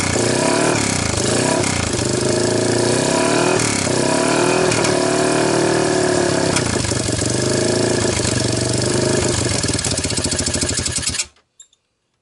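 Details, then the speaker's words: 1998 Honda TRX300EX, previous-owner rebuild, valves checked good: beat wanders and lags when blipped, hesitates on throttle and choke, then cuts off; owner wonders if timing chain is one tooth off. "it seems like when I give it gas it like you know thinks about it"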